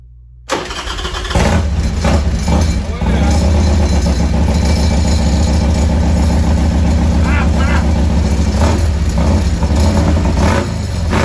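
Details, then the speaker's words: 1998 Harley Sportster after CV carb rebuild, in neutral, fuel on: catches after a short crank and settles into a steady, lumpy twin-cylinder idle with no knocks or misses; normal start and idle. "that's pretty good he's running I never know"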